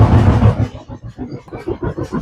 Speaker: This is a front load LG dryer that when we turn it on is making a really loud thumping noise.